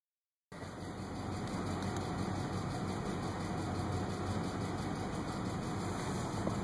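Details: 2005 Ford F150 5.4L 3V V8 at steady idle, before repair: light, quick ticking about four a second over the hum; seized hydraulic lash adjusters (lifters).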